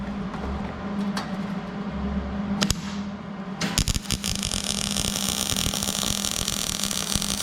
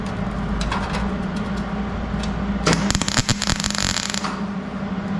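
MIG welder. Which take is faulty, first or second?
second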